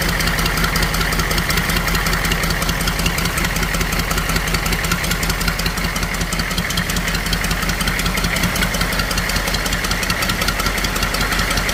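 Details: HUMVEE H1 1097 6.2 diesel start-up after fuel injection pump rebuild kit, fixing a pump fuel leak: steady idle clatter, even combustion rhythm about 160 per minute with loud hiss; normal diesel idle.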